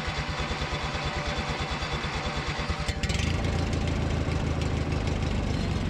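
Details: Briggs & Stratton 19.5 hp opposed-twin mower engine after starter replacement, cold start outdoors at 34°F: slow even cranking about three seconds, then catches and settles into a steady, healthy idle.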